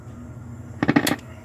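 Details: Four-month-old Vox AC30C2 amp: a quiet hum, then loud, sharp, irregular crackles and pops. The owner has ordered new EL84 and 12AX7 tubes; cause not confirmed.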